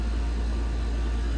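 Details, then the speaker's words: AC condenser with new condenser fan motor and dual capacitor, old motor was noisy with bearings suspected bad; steady low hum at full speed, no rattle, scrape or bearing growl; amp draw under 1.0 A rating; normal. "go fans up to speed check amp draw go between one wire at a time"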